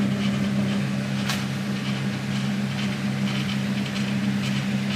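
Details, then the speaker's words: Wheel, a fairly late model, switched to full speed: smooth, steady low hum at one pitch with no knocking, slipping or scraping; normal running at full speed. "okay now I just uh put that on full speed [Music] so that's what it should sound [Music] like"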